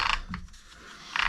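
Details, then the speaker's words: Arrma Infraction Mega, originally brushed, being converted to the factory 3S Spektrum ESC and motor: short rattling ratchety gear noise as the drivetrain is turned by hand, but it turns freely; owner suspects the gear cut (0.8 mod). "as this just armas are loud I'm not sure if it's the cut in the gear like the uh whatever they call it the uh the 0.8 mod maybe it's the way the gears are cut"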